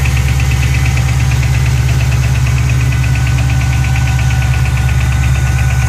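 A fast, even light ticking rides over a steady cold idle, something ticking in the top end, cause not yet pinned down.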